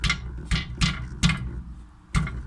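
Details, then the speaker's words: 2012 VW Mk6, rear axle, on a deformed road at low speed: sharp metallic clacks at uneven intervals from a loose metal fragment, possibly part of a spring, lodged inside the left rear axle; loud in the cabin and resolved by removing it. "bien le sens du frottement de cette pièce de métal avec avec ceux avec le train donc j'ai plus le libérer et croyez-moi ce bruit là à l'intérieur de l'habitacle de la voiture ça fait beaucoup de bruit"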